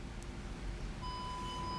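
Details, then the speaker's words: 2012 Audi A7 with no backup camera and blinking park assist light, code B107C14: scan-tool active test of front park assist speaker gives steady high beep over quiet engine hum; speaker and module good, normal park assist beep. "It's good. I hope you can hear it. Let's stop it. Right? That tells us our bidirectional control is good. Our module is good, right?"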